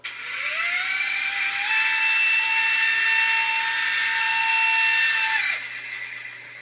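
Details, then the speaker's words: U809 Air Attack toy helicopter, new LiPo fitted, pinion gears earlier super-glued to the motor shafts; a thin high whine rises, holds about four seconds, then drops as one motor's pinion slips on its shaft again. Fix: take it apart and re-glue. "one of those Motors is slipping isn't it we can hear it whining again oh that's annoying but we know what the fix is take it apart and glue them back in"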